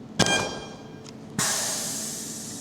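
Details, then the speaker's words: Spot welder on test steel pieces for 1944 Willys MB windscreen cowl repair: sharp clack as tongs close, short buzzing burst, hiss on release; clean normal spot weld with good nugget. "There you go, nice nugget weld. That's it together."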